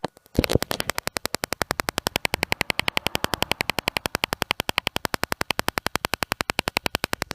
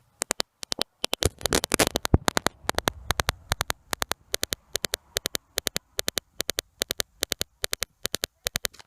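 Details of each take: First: BMW E46 Touring rear parking sensors after installing a new sensor and swapping sensor positions: quick, even clicking at about four per second, steady and unbroken; the system is working normally again. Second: BMW E46 Touring rear parking sensors with a new eBay sensor plugged in: sharp sensor clicks about two per second, unevenly spaced and bunched instead of an even beat; unplugging it or swapping sensor positions made the clicks even.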